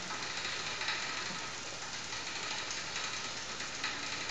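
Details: Rear derailleur after turning in the low limit screw: steady fine drivetrain ticking, chain running cleanly on the largest rear cog with no spoke pinging.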